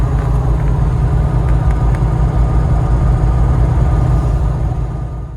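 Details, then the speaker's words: 1994 C4 Corvette LT1 with a built 383, AI heads and cam: cruises fine at 2,500 rpm in fifth, but a heavy booming rumble and vibration appear from 3,000–5,000 rpm in every gear. Engine balance or valvetrain suspected. "See, it cruises good at 2,500 RPM, fifth gear, but it rumbles, vibrates from 3,000, 4,000, 5,000 in every gear."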